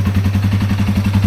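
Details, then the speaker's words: 2005 Yamaha TW200 single, reassembled after valve adjustment and an exhaust fix that removed a rattle: even thump about seven beats a second, quiet exhaust with no rattle or tick; a healthy idle. "Look at that, Mr. Pete. Engine sounds perfect. Listen how quiet that exhaust is, man."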